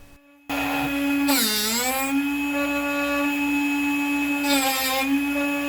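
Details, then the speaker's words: Drill Doctor 350X sharpening a coated drill bit: steady motor hum whose pitch sags with a gritty rasp each time the bit contacts the wheel while the chuck is pushed in and turned; sharpening working normally. "Make sure to lightly push the chuck straight into the unit. The chuck will rock as you make your turns, this is on purpose. And listen for that grinding sound as you work."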